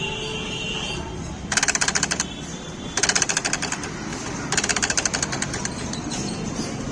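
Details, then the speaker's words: Small household sewing machine: fast metallic chatter, about twenty clicks a second in short bursts while running, from a loose nut; tightening it stopped the noise. "ये देखो ये पूरा net ढीला हो गया छोटी machine का इसको अपन को टाइट करना है ये नेट उससे आवाज कर रही मशीन देखो"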